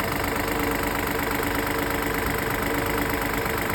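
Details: Fiat Pulse three-cylinder engine at idle: light, steady ticking over a smooth hum, sounding like the engine is knocking; dealer said at two services that it is normal.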